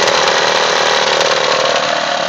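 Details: Mitsubishi Eclipse engine rattling loudly at idle with a harsh, buzzy metallic rattle from the front, disappearing on acceleration; owner suspects pulleys or something behind the timing cover.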